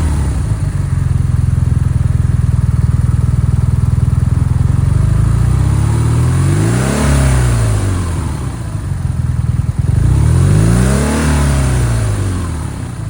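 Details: BMW R NineT motorcycle, second rough idle in a week, revs once stuck at 4000 rpm until switched off and on: uneven, lumpy idle with loose pulse, then two rev rises sagging back slowly; cause unknown.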